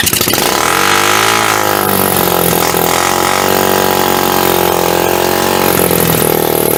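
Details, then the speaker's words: Hammerhead 250 SS single-cylinder after tune-up, carburetor needle jet cleared of dirt with brake clean, first start: lumpy, hunting idle that sags as if about to stall; owner thinks the idle screw needs adjusting. "Fuck, I think I need to just adjust the idle."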